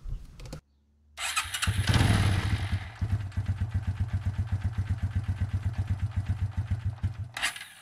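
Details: 1994 Suzuki QuadRunner 250 4x4 ATV after a carb rebuild and an oil and filter change, refilled with three quarts of Suzuki four-stroke oil, started to check the oil level; cranks briefly, catches, settles into an even thump near four beats a second, a healthy idle.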